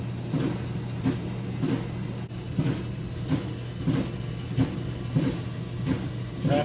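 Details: Roper (Whirlpool-made) clothes dryer, repaired before, running with a loud hum and regular thumping knock about one and a half times a second, before disassembly.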